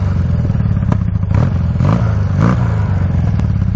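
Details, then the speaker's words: Honda trike with CM400 engine: steady low even thump at idle with light mechanical clatter on top, no misses; starts first kick every time and idles perfectly. "this thing starts up first kick every time now idles perfectly"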